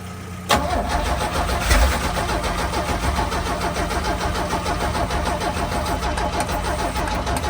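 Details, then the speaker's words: 1966 Chevrolet C10 carbureted engine, steady fast cranking for seconds without firing while choke is worked; crank, no start because no fuel reaches the filter. "All right, stop. Well, we're still not getting fuel up into our filter, are we?"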